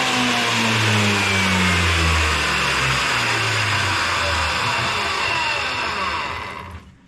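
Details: Wood planer after replacing its drive sprocket, with old, worn blades (new set planned), removing saw marks from a board: the motor pitch drops smoothly under load, holds steady, then winds back up cleanly. Normal planing cut.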